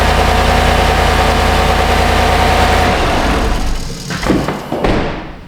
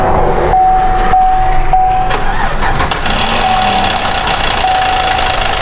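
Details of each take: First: GMC 1500 5.3L V8 after the repair: steady even idle with a smooth low rumble and no knock or tick, then shut off. Normal idle, fixed. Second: GMC 1500 5.3 V8 at 154,490 miles, owner reporting a little tick: loud, uneven rapid ticking up front over the idle, suspected in the accessory drive, not the manifolds.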